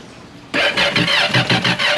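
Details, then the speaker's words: 2021 Kawasaki STX-like? "it definitely started this is good not gonna run it long"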